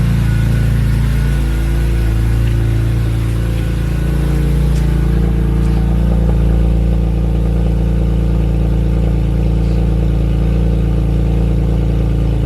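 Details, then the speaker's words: S54-swapped BMW E36, cold start after installing a fix for the raspy exhaust: deep, heavy drone with a coarse, rattly edge at the tailpipe; still raspy though not loud, to be welded at a shop. "nope it's still raspy well here's the thing though it's not loud which is good"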